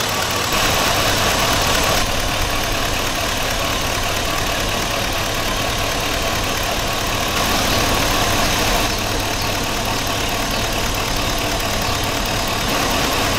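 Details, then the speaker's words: 2003 Chevy Suburban 5.3 V8 in 92° heat, codes P0200 and P0303, problem only when hot: lumpy idle with an uneven stumble every few beats; cylinder 3 misfire, injector or harness suspected. "I'm going to go with a little wiggle test at first around that number three injector and see if I can get it to stop shaking like this"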